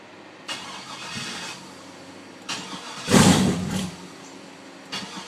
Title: WON'T START!!!